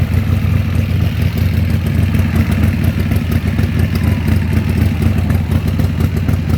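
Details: Harley-Davidson Sportster just started after rewiring the ignition switch (accessory wire had disconnected), choke out: deep, loping thump steady at raised choke idle, no misses or clatter; the V-twin runs healthy.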